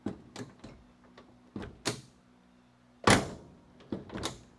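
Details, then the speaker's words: Restoration car with a sagging body (Charger crew cab build): a series of door shuts where one deep, heavy thump stands out from the lighter latches; the door no longer meets its striker as the front of the car sags. "Hear that thump, that deep thump. That means the door isn't aligned anymore. It's not aligned with its striker, which means the front of the car."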